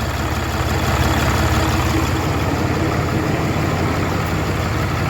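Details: 2013 Ram 3500 Cummins diesel, warming up just after a cylinder head replacement (old head overheated, valves blued), with check engine light on and some parts missing: a smooth, quiet idle with an even low beat and no ticking or knocking. Normal idle.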